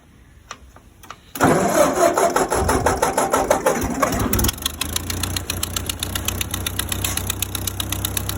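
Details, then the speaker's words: Ford 8N tractor after flood submersion, plugs cleaned, points and contacts cleaned, oil likely contaminated: cranks and catches, then uneven lumpy idle with sharp puffing tick at each firing; runs rough with an exhaust leak. "all right she sounds a little rough she's got an exhaust leak but she does run"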